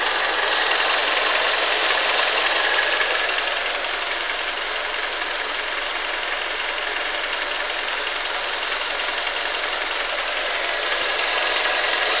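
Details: Honda CR-V engine at idle: even tapping about 160 per minute over hissy background; knock in engine, cause not identified.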